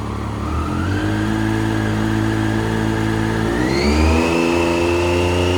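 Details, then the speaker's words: 2010 Triumph Street Triple R 675 with 38,566 miles, being parted out after a minor front-end low-side crash, revs up crisply and drops back smoothly with no knocks, rattles or misfires; a healthy engine that sounds wicked. "Man, this is probably the coolest sounding bike I've ever owned or parted out. Very, very wicked."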